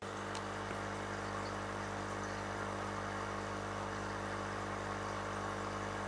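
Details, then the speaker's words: Aquarium air pump emitting a constant low electric hum with a chattery buzz, as the pump body's vibration reaches the table through an L-shaped joint resting on it; vibration buzz from a fitting touching the table. "When the vibration of the main body is transmitted to the table, it makes a chattering sound, or rather, a vibration sound, but in fact, the cords and other things will vibrate together, so Even if the cord touches somewhere, it's surprisingly noisy."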